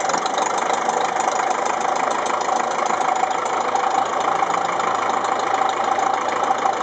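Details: Ferguson TEF-20 diesel tractor first run after full engine rebuild (pistons, liners, bearings, valves, springs, clutch, seals), injection pump re-timed after being 360° out: even, steady idle clatter, no misses or surging; healthy.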